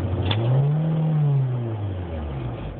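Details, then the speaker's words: Engine revs up cleanly and settles without stumbling after the owner's transmission switch circuit is unplugged; with the circuit connected the engine rev-limits, so the fault is traced entirely to that circuit (PIC loading problem previously fixed with buffer). Normal revving. "when it's doing that I can even uh unplug my circuit and then it'll run fine"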